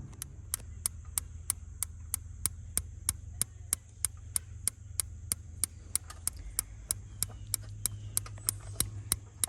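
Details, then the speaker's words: Truck camper refrigerator on propane, operated from the outside access: sharp steady igniter clicks about three a second over a low hum, but no gas reaching the burner, so it never lights; igniter electrode being cleaned. "And ignite, well, an igniter goes, but I've still got issues. I'm not getting any gas out here."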